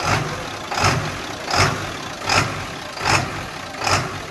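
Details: 2001 7.3 diesel with a rough idle that lopes unevenly, surging in a steady beat a little faster than once a second; cause unknown, and the truck struggles to get past 1800 rpm.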